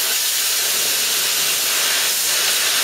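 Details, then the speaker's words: Plasma cutter run from a small air compressor at 50 psi cutting 3 mm steel: steady harsh hiss with no firm cutting bite, burning rather than cutting, forced to go very slow, far worse than on 1 mm; air starvation. "as you can see it's pretty horrible it's not even cutting properly it's more burning at the ground when cutting it i have to go that bloody slow but if i go any faster you watch it's just relaxed flush like that it just doesn't cut nowhere near as good as cutting the one mill"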